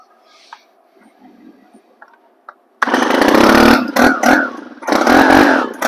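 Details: Stihl 4180-series four-cycle 4-Mix trimmer engine after confirming good hot spark from the ignition coil and fitting a new CMR6H plug: silence, then it catches at once and runs strong, crisp buzz rising and falling with revs. Healthy.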